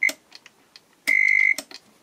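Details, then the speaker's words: Soviet Elektronika 6.15M digital alarm clock from 1989 (IVL1-7/5 VFD, K176IE18/K176IE13/K176ID3 chips), first power-up before repair: short high blip then about half a second of steady beep among clicks as the alarm buzzer sounds; display very dim, flickering, showing zero. "And let's plug it in. It's making some weird sound is very dim."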